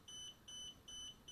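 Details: DJI Spark remote controller beeps a shrill, steady high tone about 2.5 times a second, starting about 14–15 seconds after power-on. The LED alternates red and green, and the owner says it is not a connection or calibration issue. Constant controller warning beep.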